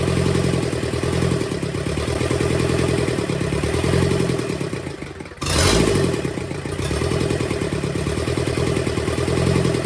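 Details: Burnt, seized Kubota V2203 diesel from a Bobcat 7753 skid steer, rebuilt and run: typical steady diesel clatter dipping briefly then picking up, running normally; injector leaks, injection pump top needs resealing, valves still need adjusting.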